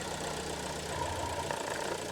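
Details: Fiat Grande Punto 1.4 T-Jet (same engine as the Giulietta) on cold fast idle during a PCV diagnosis; even, steady mechanical hum with no knocks or stumbles; oil cap very slightly sucked in; this car uses little oil; healthy.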